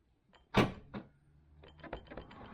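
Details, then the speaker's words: 2014 Land Rover Freelander 2 SD4 tailgate shut after trim panel removed: one solid thud, faint settling clicks, no jingling metal; earlier clanky rattle traced to a loose metal trim clip bouncing inside; normal tailgate closing. "yeah it's lost the clanky sound we were getting so it's entirely down to one of these metal Clips just loose a drift probably bouncing around here"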